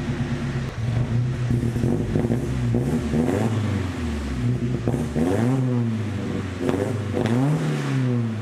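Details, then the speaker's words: 1972 Datsun 510 with KA24DET turbo swap after exhaust repair with a new welded 3-inch exhaust, on polyurethane motor mounts: even, low idle with clean throttle blips and a muted note, no rattles or leaks. "man this thing sounds pretty good huh pretty quiet oh man s is so quiet inside"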